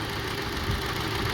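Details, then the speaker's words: 2002 Honda CR-V 2.4 L with rough idle, testing by unplugging each ignition coil at idle: engine shakes and stumbles on three cylinders, showing that cylinder's coil and spark plug work; all coils tested good. "When I disconnect this, you see the engine getting really shaky. See? So this one, this cylinder and spark plugs, the coil is working."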